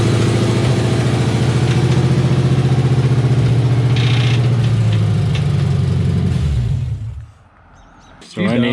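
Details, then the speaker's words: 1989 Chevrolet K2500 with a freshly rebuilt 350 small-block V8, revving: heavy regular deep knocking growing louder until shutdown; metal later found in the oil and a nut in the #8 cylinder; severe engine knock. "i was revving it up and i started hearing it more and more and more and more so i shut it off"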